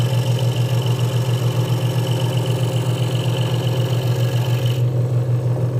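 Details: Hegner Multicut 2S scroll saw cutting wood after the blade protector was moved back to stop a rattle: a steady low hum with an even, quick stroking pulse and no rattle; the saw is cutting cleanly and normally.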